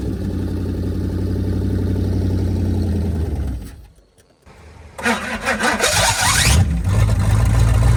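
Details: 1978 Pontiac Firebird with 305 V8, abandoned since 1989, first start attempt: engine runs rough then dies; after a pause it spins over on the starter without catching because the tank is out of gas.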